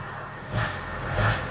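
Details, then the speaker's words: 2008 Mercedes ML320 diesel, 185,000 miles, after replacing collapsed motor mounts that caused a vibration. Steady low diesel idle clatter with two gentle swells, no shake or thumping; vibration gone, normal idle. "let's see if it vibrates now so the Moment of Truth wow what a difference"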